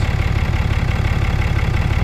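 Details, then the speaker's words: 2018 Cummins 6.7 diesel just after fuel filter change: steady even idle, smooth low rumble, no misses, knocks or air-hunting; running smooth, service complete. "yeah i believe we are done she is running smooth ladies and gentlemen so fuel filters are done"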